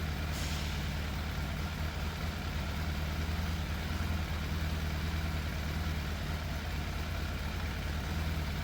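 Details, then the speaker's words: Fire-damaged Yamaha FZ750 motorcycle, 41,000 miles, choke fully off: idle hard to balance, uneven and lumpy with dropped pulses; middle two exhausts cooler than outer two, suggesting those cylinders are missing. Engine misfire, cause not confirmed. "I can't seem to find quite the right balance for the idle, and obviously it sounds, I don't know, it doesn't sound as smooth as it should."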